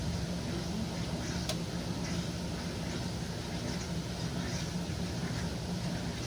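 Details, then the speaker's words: 1957 solid-tub Speed Queen washer in spin: a steady drone from the spinning tub and the pump chugging as it spins the water out, running normally, though the owner says the fluid drive needs a little more oil. "But you can hear it spinning the water out. Yeah, and hear the pump chugging away."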